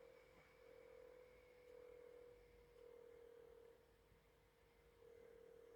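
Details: GE66 Raider laptop: faint, thin steady CPU fan whine that swells and fades about every second over a quiet room; abnormal fan noise, cause unclear.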